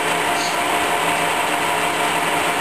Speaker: you can hear that gear box is working fine